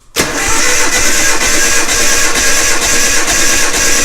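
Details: Nissan Hardbody truck cranked in neutral with spark plugs out and distributor disconnected during a compression test before a turbo install: cranking is steady and even, with strong, uniform compression pulses; readings were about 148–160 psi.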